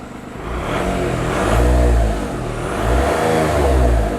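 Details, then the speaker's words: Audi A2 three-cylinder diesel, 16 years old, free revving after oil change: deep throaty roar, no clear knock; owner suspects an air induction leak. "oh that sounds quite throaty it might have an air induction leak somewhere so wanted to look at that"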